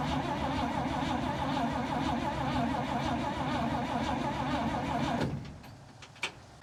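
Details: Old International farm truck parked over a decade, fueled with everything plugged back in: steady rapid cranking about three and a half beats a second, then stops without catching; cranks but won't fire, spark still unconfirmed.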